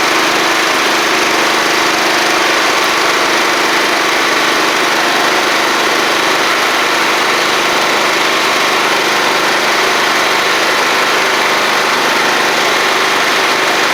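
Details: Free John Deere L110 riding mower running after the fuel pump was replaced; battery reads 12.3 V before cranking and about 12.5 V when running: loud, steady, even drone with no misses, knocks or surges; engine runs normally.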